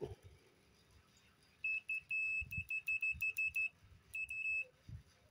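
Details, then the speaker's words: Power cable that trips the electricity when plugged in, digital multimeter probes across both conductors: shrill continuity tone in short bursts then holding; the two wires touch each other, so the cable is shorted. "Jadi kalau kayak gini biasanya konslet nih, kabel yang satu ini dengan yang satu ini dia nempel itu ya, makanya dia konslet. Makanya pas dicolok listrik langsung listriknya turun gitu ya."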